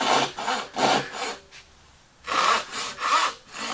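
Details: Hand saw starting a cut after being moved over so it no longer fights the grain: light, even rasping strokes about three a second with one pause. It runs freely without catching, cutting smoothly with the grain.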